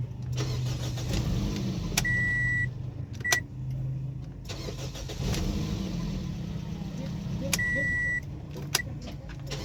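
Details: Toyota Corolla (2009–2014 generation) after replacing the starter motor that would not crank the engine: a short, even crank with a couple of dash beeps, then the engine catches promptly into a steady idle; starter healthy, normal cranking and start.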